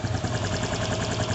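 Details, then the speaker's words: Honda Pop 110 after fixing a failed cam chain tensioner that caused a loud engine noise: steady, even single-cylinder idle with no top-end tapping or rattle; cam chain now quiet, normal idle. "não tem mais aquela casca de ovo tava dentro do motor não viu ficou filé"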